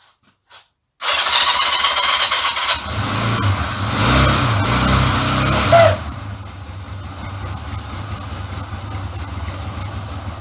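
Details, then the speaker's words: Honda CD200 Benly twin, project bike, first start on reserve fuel with petrol flowing to the carburettor: brief crank, fires at once, throttle blips, settles to even steady idle; runs sweetly, normal running. "i don't think we can complain about that i think that's what we call a result even if you can't say it properly"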